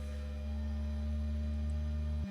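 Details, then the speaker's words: Bambu Lab A1 Mini Combo 3D printer during initial setup: steady low hum with a clear tone as the print head vibrates, rising from 66 Hz to about 197 Hz, then cutting off abruptly; normal mechanical resonance calibration sweep. "So it's now doing the mechanical resonance for vibration. I'll just let you hear It's vibrating so fast. You can't even see the head moving, but is vibrating. It's going at 66 hertz."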